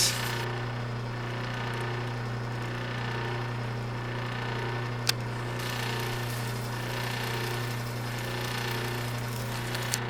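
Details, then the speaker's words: 1936 Maytag Model 30 washing machine, just cleaned after decades in storage: the electric motor hum is uneven, rising and falling instead of holding steady; this may be because the motor is not bolted down. "there's a little noise it's not an even home it's a rise and fall as you can hear at least I've seen you can on this video that may be because the motor is not bolted down"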